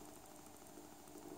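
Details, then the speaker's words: Cheap USB-powered PC speakers with the audio input off: quiet, steady ticking about five per second while the amplifier IC works; fixed by replacing a 1uF 50V capacitor. "you can hear that we've got that constantly beeping and we know that the amplifier IC is working"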